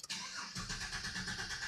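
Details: 2017 Silverado with an intermittent click and no crank, cranked in clear flood mode with the accelerator held during a cable voltage-drop test; steady, even starter cranking, engine not firing. Cable reads 60-70 mV, within the 100 mV spec. Normal cranking.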